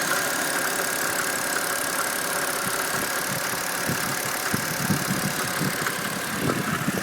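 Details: BMW N52B25 engine at steady idle with uneven sharp knocks that come and go, strongest toward the end; idle knock of unknown source.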